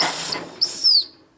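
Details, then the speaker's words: Massey Harris 81 tractor, spark plug removed, whistle in number one plug hole while cranking: short rising whistle marking number one compression stroke; cylinders measured about 90 psi compression. "so what i did was you listen for the whistle and then you're up on number one compression so we'll turn it over once or twice and we'll see where we get the compression"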